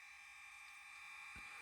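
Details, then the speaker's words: Kato N scale CSX SD40-2 locomotive no. 8186 on analog DC power, throttled up; steady electric buzz, no speed change, one dull thump; motor energised but stalled, drive shaft feels stuck. "oh I hear the motor it's doing something I physically hear the motor vibrating feels like the drive shaft is stuck"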